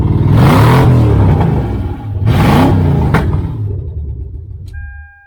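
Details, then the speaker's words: 1976 Chevy El Camino with catalytic converters removed, engine blipped twice: deep, loud rumbling bursts that then settle; open, unmuffled exhaust, formerly quiet, now sounds like a hot rod. "no no cats on it so it was quiet as a church mouse but now she's gonna be loud"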